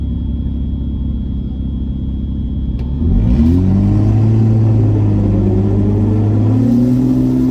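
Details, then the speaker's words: N54 with Precision 6466 single turbo at 34 psi during elimination run: engine rises on boost with rough, uneven pull, missing under boost; in limp mode, logs to be checked. "so now the eliminations i think i hit boost you can hear it's missing listen to this definitely in limp mode"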